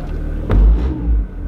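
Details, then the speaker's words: 2002 Acura RSX base, thud from driver's front wheel area. Power-braking is silent in reverse, but in forward, torque lifts the engine with a heavy low thud and shudder: broken transmission mount. "so nothing you can hear nothing in reverse it's only when you go forward does the torque on that uh transmission lift the whole engine up"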